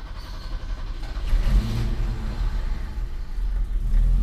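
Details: 2009 Ford E150 Clubwagon, first start after more than two weeks down, with the starter cleaned, steering gearbox replaced and stabilizer links fixed: it catches and settles into a steady, even low rumble with no knocks; a healthy start.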